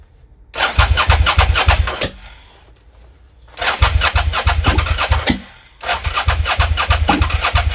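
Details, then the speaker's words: Suzuki SV650S V-twin that would not start, cranking on booster pack after battery fell to 11.7 V; three fast cranking bursts, about three beats a second, with occasional sharp firing pops, some ignition but engine never catches. "let's see if this makes any difference oh that's better much better we had some ignition in there"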